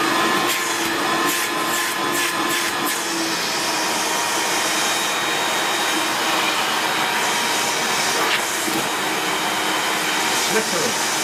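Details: 1994 Hoover Turbopower 2 U2462 upright bagged vacuum with an 800W motor and no autosense: steady airy roar with a high whistling motor note and some rattly ticking early on, holding even throughout. Normal running.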